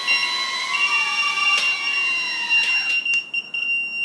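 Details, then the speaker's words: FPV quadcopter on Betaflight, flown in angle mode while trimming with stick commands: shrill steady beeping over the high whining motors is the flight controller's low battery voltage alarm at the end of the flight. "There's my voltage [Music] alarm."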